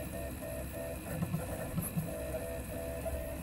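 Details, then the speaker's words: 3D printer running a print after a countertop-slab base upgrade and recalibrated Z and print head, mic held close: soft warbling stepper-motor tones over a faint hum, some harmonics, no knocks or rattles; nearly silent, running normally. "It has turned this thing in from my family and even me, who I'm losing my hearing, being able to hear this thing upstairs to it being nearly silent when I'm just standing here. You get some harmonics, but that's okay."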